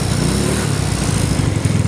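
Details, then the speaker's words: Carbureted scooter after fix: steady even running, power restored; sluggish throttle and hard starting came from a worn carburetor slide needle sitting too low, shimmed up with fuel hose. "Jadi gitu ya supaya si jarumnya dia ke atas lagi, sekarang tenaganya enak lagi."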